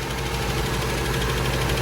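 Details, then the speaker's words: Old Toyota Corolla petrol engine at idle, tired but compression tested: very rough, shaky, lumpy stumbling idle; power balance test shows no rpm change on cylinder one — dead cylinder misfire, valve cover inspection suggested. "she's still running rough"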